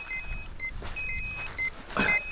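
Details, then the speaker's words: Hubsan H122D drone low-battery warning: short high beeps about twice a second over a thin motor whine, heard from the drone and remote; the drone descends and must land. "voyez le bip que vous entendez là? Et ben c'est tout simplement, je suis en fin de batterie, donc maintenant il faut que je me pose."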